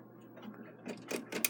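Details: Takeda 30-day short-drop octagon schoolhouse clock, stopped after being wound by a caretaker: faint rubbing then four or five crisp evenly spaced clicks as the key turns on the time side; ratchet catches normally with winding left.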